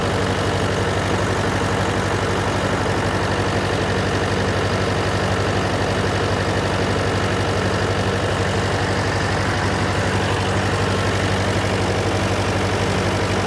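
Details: John Deere 401C diesel with cracked block, idling: lumpy uneven beat about twice a second, one cylinder not pulling; temperature check shows number three cold while others hot, confirming an injector problem.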